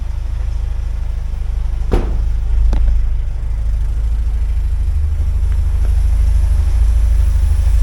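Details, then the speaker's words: 1979 Porsche 924 after fuel system work with a Bosch fuel pump and filtering before the pump, warming up at idle in neutral: steady, even low rumble with no whine from the rear; fuel pump running quietly. "No noise. Quiet fuel pump. Do you hear anything back there? All I hear is quiet."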